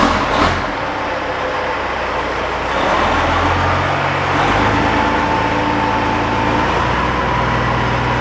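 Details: Kenworth W900 truck with Cat 3406E diesel after new turbo install and oil pan work, driven around the shop; deep even drone rising smoothly with revs under load, no knocks, misses or whistles; running strong and normal.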